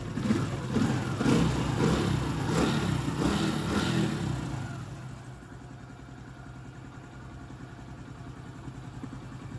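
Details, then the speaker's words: Honda Pop 110i, about 25,000 km, after engine rebuild: a few blips settling into a soft, steady idle with even light patter and no knocking; repair finished successfully. "Motorzinho bem caladinho, foi finalizada com sucesso."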